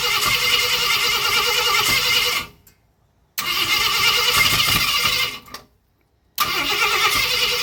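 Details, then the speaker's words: 1965 Ford Thunderbird under rebuild, first fire-up with brake cleaner: two-to-three-second cranking bursts with pauses and a few weak catches that never keep running. Owner suspects ignition timing is off (no timing light) and a spring that isn't right. "It's close. Yep, it's definitely hitting. Yep. Uh I'm not sure. It don't sound like it's quite timed right."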